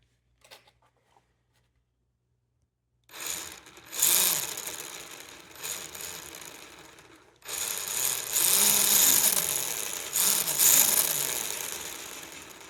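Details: Traxxas Rustler VXL 2wd RC car after a transmission clean and rebuild into a new casing: high, gritty whirring rising and falling in bursts as the motor spins up. Gears sound like they are grinding or slipping regardless of pinion gear mesh.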